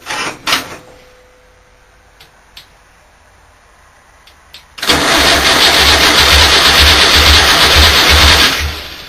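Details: VW engine starts after a few clicks and settles into a loud, hissy idle with a regular low knock about once a second; owner thinks the fan is loose but is unsure; engine knocking.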